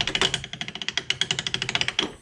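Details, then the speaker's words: Budget tube bead roller for intercooler pipe, after fettling, regreasing and slotting the rear block to realign gears: quick even clacks about ten a second as the handle turns, teeth only engaging on corners and knocking. "I mean you can still hear the teeth knocking against each other"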